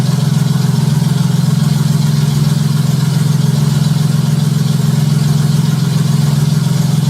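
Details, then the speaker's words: Junkyard Honda J35 V6 with 183,000 miles in a Baja, started on AEM Infinity ECU, warming up at idle before throttle: steady even hum, no knocking or valvetrain clatter, good oil pressure; healthy. "yes yes fired right up i'm not going to hit the throttle yet i'm going to let it warm up a little bit first"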